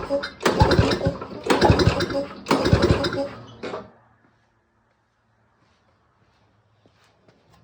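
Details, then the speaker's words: Pull-start lawnmower that sat long and won't start, spark plug removed and compression gauge fitted: three firm even pulls reading about 100 psi, good compression for a pull-start engine. "Okay, so this is showing about 100 psi of compression. On engines that you pull start, I mean, that's a pretty good compression reading."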